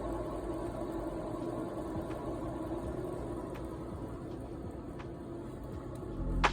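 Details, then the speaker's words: Citroen C3 Mk2 (about 2010-2016) jacked up, rear wheel spun by hand: a steady, rough low rumble with faint regular ticks from a worn rear wheel bearing; felt in the car as a loud humming or vibration. "you first hear this really when you're in the car and it sounds like a loud humming or vibration"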